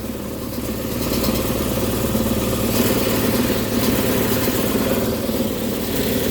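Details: Indoor HVAC blower in attic on a no-cooling call: rough steady rumble with uneven throb about four times a second; blower destroyed and vibrating excessively, suspected of causing intermittent low control voltage; new blower assembly likely needed.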